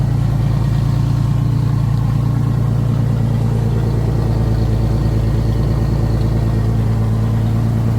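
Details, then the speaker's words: 1989 Pontiac Grand Prix Turbo McLaren at idle after new spark plugs (old plugs oily, possible low compression; original wires kept): steady even idle, low rumble, no stumble or hunting; earlier idle hunting possibly from misfire. "so just right away this thing idles a lot better I'm starting to wonder if the idol hunting that I was doing was because of a misfire I don't sense any misfires now"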